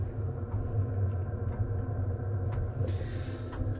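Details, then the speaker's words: Cheap Chinese diesel heater installed in 2006 Nissan Frontier, quieted: low steady muffled combustion rumble with soft pump ticks about twice a second, about 55 dB, heater functional; normal running. "obviously there's a lot of work left to do back here there's no creature comforts at all but uh the heater is functional"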